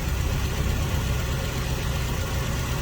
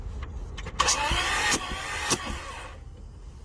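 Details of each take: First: Toyota Tarago/Previa/Estima engine, first start after new head gasket and refreshed head, weak battery assisted: low steady idle, even deep rumble, no knock or miss; normal idle. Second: Toyota Tarago/Previa/Estima engine after head gasket replacement, cranking to prime fuel and oil and feel compression: starter turns it sluggishly in two short uneven bursts, no firing; slow cranking from very low battery.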